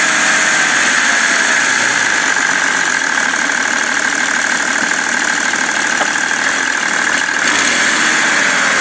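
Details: BMW 330d E91 diesel idling with a loose, uneven knock of about four beats a second, plus smoke, after main and EGR thermostat replacement; cause unknown, owner asks for help.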